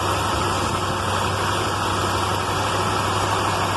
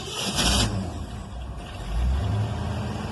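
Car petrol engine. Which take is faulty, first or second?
second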